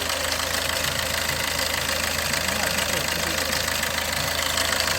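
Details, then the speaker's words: Maruti Ertiga/Swift Dzire with check engine light, low pickup and speed, jerky hesitant start, stumbling when accelerated at idle, bonnet open: uneven idle with light fast tapping about three times a second; rough running, cause not yet pinned down. "அது போக வண்டி கொஞ்சம் டக்கன்னு sound வருது. Bonnet open பண்ணியாச்சு. வண்டியில் ஒரு smooth rhythm இல்லை."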